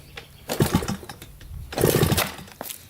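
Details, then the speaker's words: Suzuki JR 50 two-stroke run with the exhaust pipe disconnected after a bogging problem: two quick throttle blips climb crisply and drop back with no bog, showing the pipe is clogged with carbon and needs burning out. "so as you can hear it really rubs out now so obviously the pipe is clogged and we need to take off the pipe now and clear it out"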